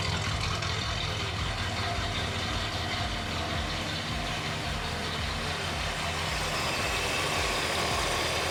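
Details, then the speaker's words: 1964 Mercury Montclair, rebuilt Ford FE 390 with cam and intake kit, first run in 40 years, timing still being dialed in: deep even V8 idle, a bit high, no misses or knocks; runs smooth. "Needs to idle down. But it seems like it's running pretty smooth. Yeah, run good."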